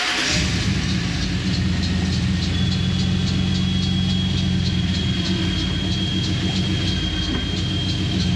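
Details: COE ramp truck's first fire-up after brake bleeding; the engine catches straight away and settles into a deep, steady, even idle with no misses or knocks, a healthy start.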